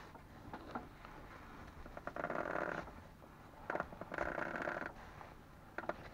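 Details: Ford Focus 2, 2.0 automatic, new Loebro drive shafts at 1000 km: both outer CV joint boots, left and right, squeak as the wheels are steered, giving rubbery squeaks in bursts every second or two in a quiet background.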